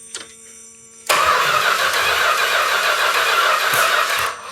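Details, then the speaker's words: 1971 Chrysler New Yorker 440, parked 20+ years; starter churns steadily at about four beats a second, never fires; after backfiring through carb, distributor found misindexed, not 180° out but something else. "I said there was a possibility I got the distributor in 180° out. It's not 180° out. It's something else entirely."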